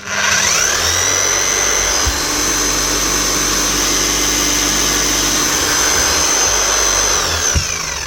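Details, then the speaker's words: Bosch GSH 5 CE demolition hammer (2020 machine) after fitting new brushes: motor spins up to a steady, even high whine, then winds down; speed control working, slight brush sparking expected with new brushes; runs normally. "Yeah, speed control is working grand. She's a little bit of a spark out of it. That's to be expected sometimes when you put in a new set of brushes."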